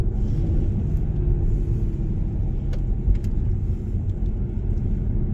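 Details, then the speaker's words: Jaguar XK (X150), new XKR exhaust installed, heard from the cabin under acceleration in a low gear: deep, steady, smooth rumble with no rattles or blowing; healthy exhaust note. "Nice. Certainly sounds good, doesn't it?"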